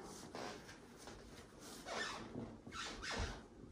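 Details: 44-year-old single-level rancher house floor: faint creaky squeaks as weight shifts. The cause is loose underlayment and subfloor over particle board rubbing where not fastened to the joists; the fix is screwing down from above into the joists.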